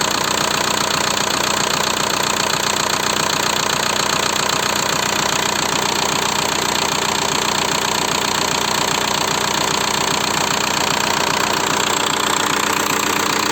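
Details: 1.9 TDI diesel (ALH/AGR/ASV/AHF) at idle after an oil change: steady, sharp ticking knock about 2.5 per second from worn hydraulic lifters and piston slap. Rare 30,000 km oil changes likely burned the rings. New lifters nearly cured the knock.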